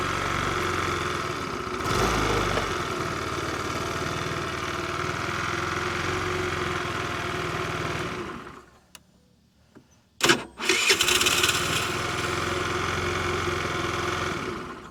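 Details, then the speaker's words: 50cc Ice Bear Trike Chinese scooter no-start: starter spray into a vacuum leak lets it catch, run roughly several seconds, die and refire; leaking vacuum line starves the vacuum-operated fuel valve of vacuum, cutting carburetor fuel. "was happening is is this vacuum leak over here was stopping this one from getting enough vacuum to open fuel to get fuel down to the carburetor and that's why when we gave it a little bit of spray it got some rpm which increases the vacuum and allowed fuel to finally flow"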